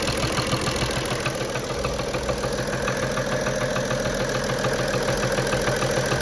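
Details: BMW 335d with M57 diesel, vacuum pump removed to rule it out: a light regular knock about two per second at idle from the top of the engine, with a new stumble at start, easing as it warms. Injector suspected, not confirmed.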